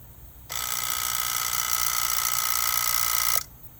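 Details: Lexus RX400h harsh, even buzz that starts abruptly a few minutes after the vehicle shuts off, holds about three seconds, then cuts off cleanly.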